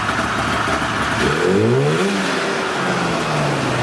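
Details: Polaris snowmobile, old 488 two-stroke, after freeing the seized engine and cleaning the carbs including a hidden clogged jet; steady buzz, pitch climbing cleanly on a quick rev and settling to an even idle; normal idle and revving.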